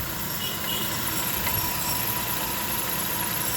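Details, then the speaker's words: 2020 Honda Odyssey after oil change, previously noisy engine: started, quiet even idle with soft steady hum, no ticking or chain rattle after the brief start-up chain noise; normal idle. "So ayan, na-start na. Ayan, tahimik na tahimik. Kita nyo yan, tahimik na tahimik yan mga agrasa."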